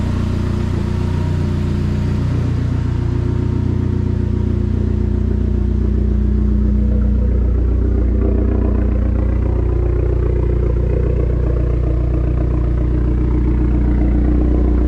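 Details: Restored Dodge SRT-4: steady, even four-cylinder turbo engine note with smooth low drone, no knocks or ticks; runs cleanly, normal engine running.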